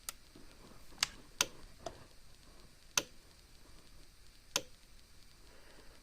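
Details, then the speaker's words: Cyclops fence charger plugged in, single flashing light: crisp single clicks roughly every second and a half in quiet room, pulse slightly slower (about 0.2–0.3 s) than a Zareba 50-mile unit; normal pulsing. "see it's just a little bit slower we'll turn the other one back on so you can hear the difference"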